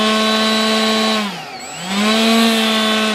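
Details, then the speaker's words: Durafly DH 100 Vampire MK 6 RC jet EDF, during balancing: buzzy fan tone spools down, nearly silent, winds back up with rough edge; strong resonance around 19% throttle, vibration from the unbalanced fan, not a loose cover. "and just so you know guys that vibration it's from the fan it's not"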